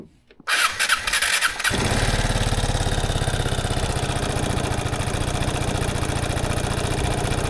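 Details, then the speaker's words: Piaggio Fly 150 3V ie scooter (2017) cold start test on a cloudy day with a full tank of 93 gasoline: the starter spins briefly, it catches on the first press and settles into a steady, even idle, a healthy cold start. "You can see the scooter starts on the first press, so there's definitely no issue with starting up."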